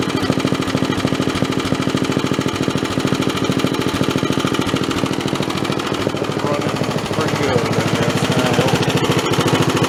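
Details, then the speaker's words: Snapper 3081 mower single-cylinder engine, still hot after mowing, running after original spark plug refitted: steady even thump at fast idle, smoky, no misses or knocks; running normally. "I put the original spark plug back in there that was in the thing and it started right up"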